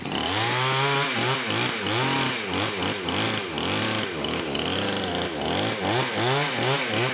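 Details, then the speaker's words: Kraftworld KW-5800 58cc Chinese chainsaw after repairs restored a fuel pulse, cover off, on choke: raspy two-stroke snarl rising and falling with throttle blips, catching cleanly each time; longest it has ever run, needles still slightly off. "I think that's the longest this saw has ever run"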